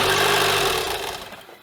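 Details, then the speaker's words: 2015 Audi TTS rollover auction car, first start attempt with timing, plugs and air filter checked: engine catches, runs briefly and dies, repeatedly. Owner suspects something such as deployed airbags is telling the engine to shut off. "Okay, I mean, it ran for a little bit. Interesting. I don't know if I'm excited or not. We obviously have some sort of issue preventing it from running, but it starts. It started 5 times, in fact."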